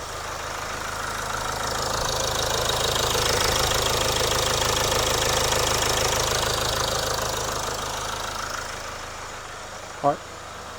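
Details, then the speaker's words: Land Rover Discovery Sport Ingenium diesel after engine oil and filter change: steady even idle with soft regular clatter, no knocks, misses or rattles; normal idle. "to turn it off for now then. Good. Sounds alright, doesn't it?"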